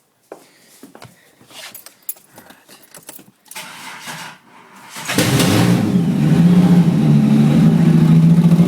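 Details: Holden VR Commodore with exhaust disconnected: cranks, catches and settles into a loud open-exhaust idle with a quick, steady rattle underneath; rattle attributed to an old harmonic balancer.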